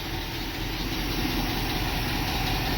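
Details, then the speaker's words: International Scout V8 after over 13 years sitting, new plug wires, fuel pump feeding carburetor from a temporary gas tank: steady, even low rumble with no knocks, misses or stumbles, settling into a smooth healthy idle. "Sits here in idle, it's like a brand new rig. We are going to be taking this to church on Sunday."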